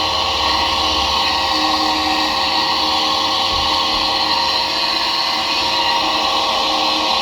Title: Disturbing grinding noise from faulty dryer fan